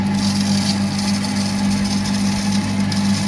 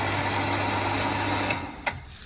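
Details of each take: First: New smart pressure water pump on PVC pipe, not yet bolted down, run with plastic cover installed: steady hum with buzzy fluttering rattle, noticeably louder because the cover touches the pump and vibrates. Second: New smart pressure water pump, installed at home on PVC pipe, not yet bolted down, running with cover off: even motor hum with light whir, then shuts off with a small click; normal, healthy operation.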